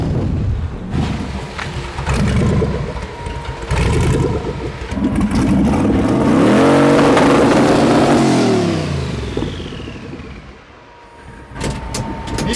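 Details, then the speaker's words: Twin-turbo LS V8 in a Chevy S10 drag truck, untuned: revs swell and fall under load with a ragged, stumbling note like unplugged coil packs; the ECU still assumes vacuum, so it leans out and misfires once boost comes in and needs a tune. "So right now what's happening is when it goes into boost, it just leans out. So as soon as we get in, because the computer's doesn't know about boost yet. The computer still thinks it's a vacuum."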